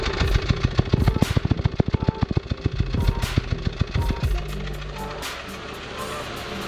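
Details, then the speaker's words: Dacia Sandero 1.4 MPI on LPG, misfiring mornings in damp weather and running on three cylinders: idle lopes with heavy uneven thumps about three a second as one cylinder drops out; faulty ignition coil, replaced. "als für mich ganz klar die zündspule aber sobald man wasser zündspule spielt ja fängt das auto an auf drei zylindern zu laufen"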